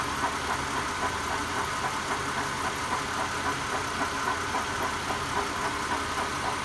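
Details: 1999 Honda Accord EX V6 at 160,000 miles, idling: a fairly regular light tick, roughly three to four per second, sits above the engine hum; its source is not pinned down.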